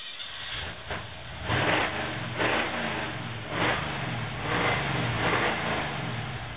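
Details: Jeep Wrangler YJ cold start after sitting about 30 days: uneven cranking surges that stumble and swell before the engine catches; hard starting.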